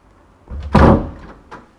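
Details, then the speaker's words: Wooden house door used for some time, before a rubber seal is fitted: it shuts with a sharp heavy bang and a faint settling knock. The worn rubber seal is suspected as the cause of the loud slam. "ซึ่งประตูไม้บ้านนี้นะคะคือใช้มาระยะเวลานึงแล้วก็เลยคิดว่าตัวคิ้วยางอะไรอย่างเงี้ยมันน่าจะเสื่อมเพราะว่าประตูบ้านเนี้ยมีปัญหาเรื่องเสียงดัง"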